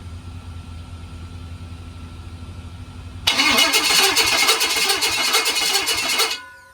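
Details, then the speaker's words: 6.0L LS engine on a stand, first crank with standalone harness, fuel not connected: even, quick cranking for about three seconds at a steady rhythm, no clicking or knocking; normal cranking. "I think it sounds pretty good, right? Yep. I mean, I'm not hearing clicking or anything."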